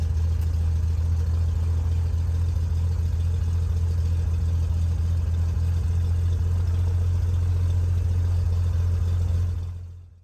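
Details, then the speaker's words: Cessna 182 after electrical-failure repair, rain stopped, before test flight: deep steady engine drone holding an even idle about ten seconds, no misses or stumbles; started up nicely, running normally. "Everything started up nicely and the rain had come to a stop, so we decided to go for a little test flight."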